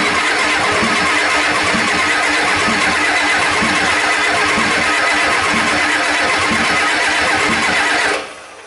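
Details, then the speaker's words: 1989 Ford 7.3 IDI non-turbo diesel: starter spins steadily with even compression pulses for eight seconds, never firing; suspected fuel pressure loss from missing o-rings on the rear injector. "some reason this engine was missing a couple of rings on the back injector so we were just losing feel pressure"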